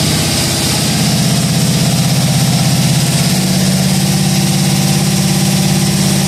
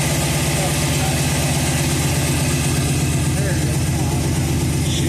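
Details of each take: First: Budget cammed 5.3L V8, first start, on a base tune and not fully tuned, with repainted headers. Deep, steady idle with a regular pulse of about three beats a second and no misfire or knocking. Normal idle. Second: Budget cammed 5.3 L V8, first start after install, rich-running: uneven, loping idle with a stumbling beat and rich chuff, missing when given a little gas; passenger-side bank coil packs were left unplugged, so that bank isn't firing.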